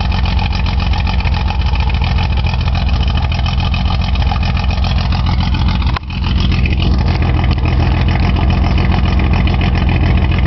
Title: 280z with a bad injector stuck open